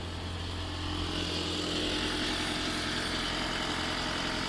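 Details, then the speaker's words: 2014 Toyota Auris Hybrid after a driveway oil change: the petrol engine started on its own after a delay and ticks over with a smooth, even low hum, no ticks or knocks, before switching to EV mode. Normal idle. "So it's ticking over lovely. Yeah, it should turn itself off now in a minute."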